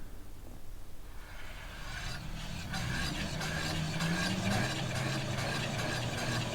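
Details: Home-built e-kart with a 24V 300W 2750 rpm brushed motor, speed controller and twist throttle, on test after finishing: the motor spins up to a steady hum that climbs a little with throttle over light brush hiss. Runs freely and healthy.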